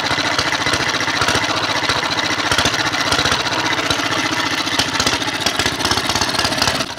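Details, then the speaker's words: Diesel engine whose revs climb on their own and won't drop back without throttle, even with recently replaced injector nozzles. Hard, uneven racing thump stays high and won't settle to idle, with heavy smoke: runaway. "on va essayer d'entendre le son , il s'avère que c'est toujours le même qu'avant , il y a beaucoup de fume et ce n'est pas stable, ou c'est inégal,"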